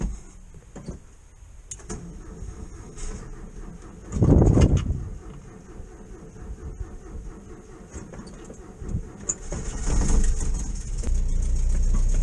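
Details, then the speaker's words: VW T2 camper van cold start on a cold January morning in neutral, auto choke on, fuel smell: battery cranks sluggishly, then catches with a loud burst and settles into a steady rising idle to warm up; starts fine. "let's go and have a look there we go uh they obviously have an auto choke smell a bit of fuel that is obviously on choke in a minute i'll let it warm up a few minutes"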